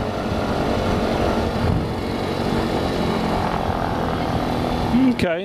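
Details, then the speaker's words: Lycoming fuel-injected Mooney M20J hot start just after landing: throttle cracked, mixture full out, then eased in as it catches. Uneven, lumpy, surging run for about five seconds, a rough, dirty hot start, possibly slightly flooded. "kind of a kind of a dirty start but once you start your own airplane all the time you'll you'll see that you'll kind of get an idea of what it takes"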